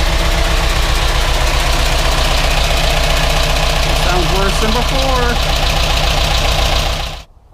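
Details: GMC Yukon Denali 6.2L LS with DOD, first start after reassembly with lifters replaced: fast steady ticking over idle despite oil pressure; owner suspects the new hydraulic lifters are not yet filled with oil.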